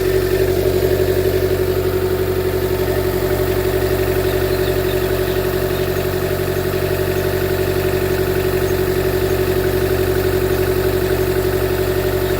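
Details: 2013 Chevy Volt engine with very bad idle that keeps shutting down, code P0101; dealer blamed the MAF, and plugs and coil pack were replaced without fixing it: steady idle with lumpy uneven beat about twice a second; rough idle with misfire, cause not found.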